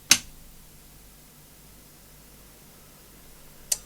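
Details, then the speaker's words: Samson TXM16 1000W mixer amplifier under repair, powered back up after transistors on both channels ran around 54–69°C: two sharp clicks about 3.5 s apart in a quiet room as the protect relays engage, and the protect lights go out without further repair. "hear the click? That's the protect relays. And for whatever reason now, the protect lights are going out, and yet I haven't done anything more."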